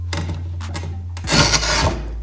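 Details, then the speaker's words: QEP 24-inch manual dry tile cutter scoring a tile with light downward pressure: short scratchy rasps then steady gritty half-second grind as wheel bites; proper even score. "i pushed down just a little at the beginning just enough so i can hear it kind of grinding so i'm gonna be quiet so you can hear this"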